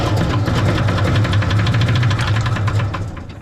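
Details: 1970 Chevrolet El Camino 396 with 4-speed, parked 38 years, on a start attempt. Rough, uneven low firing with irregular knocks about three per second fades as it quits. The oil filter ballooned and leaked, so a blockage is suspected; a clanking rod is also suspected.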